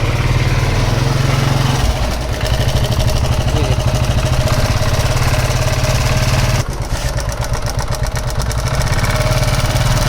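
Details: TVS XL single-cylinder moped engine running with fast metallic chatter over exhaust beat; top opened showing very loose timing chain and loose tappets; timing chain rattle with loose tappets.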